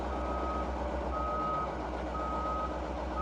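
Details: CAT 613C military scraper, recently revived, backing up a hill; engine won't rev up fully. Even beep about once a second over a low diesel rumble: normal backup alarm while reversing.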